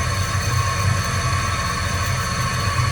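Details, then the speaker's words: 20-inch wood bandsaw converted to metal cutting with a 10:1 worm gear and VFD-driven motor, run very slowly around 145 rpm: steady motor drone with pulsing low rumble and whine, whole motor wobbling on its supporting shaft, bent shaft vibration. "something's definitely not good there. The whole motor's moving around. It's all supported off of that shaft."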